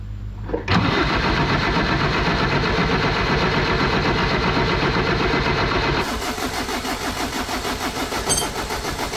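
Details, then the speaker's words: Jeep XJ 2.5 turbo diesel after fitting mechanical injection pump with 11mm plunger: starter churns steadily about four beats a second, engine never fires; crank no-start, fuel problem, owner suspects 12 V stop solenoid on pump. "So I can't get this thing started, and it's definitely a fuel problem, obviously."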